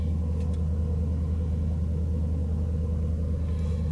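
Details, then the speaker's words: 2005-2010 Jeep Grand Cherokee WK V8 just after TPS replacement for P0124 and battery reset, cold start: deep steady rumble, even beat, no knocks or misses, idling high and dropping toward normal 600-700 rpm; normal cold fast idle. "So the RPMs are still a bit high. Let me see if I can cover this. There we go. So RPMs are dropping. Usually it revs up over 1,000 RPMs when I first start it, and then it cools down and goes to about 600 to 700 RPMs on idle."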